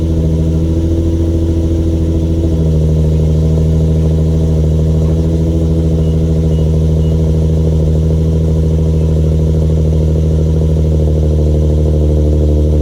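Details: Infiniti G35 Sport HR sedan, not fully warm, after tightening loose ISR Y-pipe bolts that caused an exhaust leak and high idle; fast idle drops smoothly to lower steady hum within seconds, no ticking or puffing. Normal idle.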